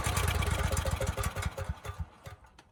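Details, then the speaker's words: Briggs & Stratton generator repowered with Subaru EX30 (EX300D52011), Mikuni clone carb running rich, after governor adjustment: single-cylinder chugs at a slow, uneven beat and dies away, no power output; governor spring too weak to reach governed speed. "there's no power but it might be running too slow"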